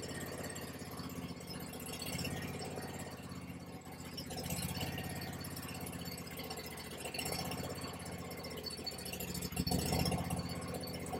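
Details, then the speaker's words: Kawasaki V-twin (691, a near-identical parts motor for the 726) on a Bad Boy zero-turn mower rebuilt after a fire: steady, even idle with a soft low pulse, no knocks or misses, charging about 14 volts; runs smoothly, normal running. "Let's see what else we got. Oh, she sounds good. She sounds real good."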